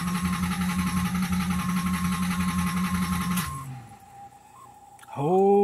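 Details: Nissan Z31 after a rebuilt fuel pump assembly was installed: even starter churn at about four beats a second, but the engine never catches. Cranks but won't start; fuel lines were later found connected backwards.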